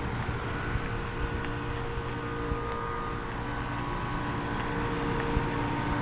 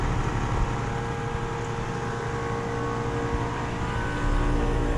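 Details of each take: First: 2020 Carrier Performance two-ton outdoor unit running in 102°F heat, cooling poorly with suction line not very sweaty: steady hum, unhurried fan whoosh and compressor drone; condenser fans sound slow. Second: Commercial AC/package units running in 102°F late-afternoon heat: steady even fan rush over low compressor hum, no knocks, rattles or squeals; normal running.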